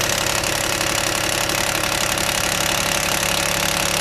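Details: 2004 Mitsubishi Endeavor cold start: a fast, busy rattle over the idle from a hydraulic timing belt tensioner losing pressure overnight; it fades after 5–10 minutes warm-up, and replacing the tensioner cured it.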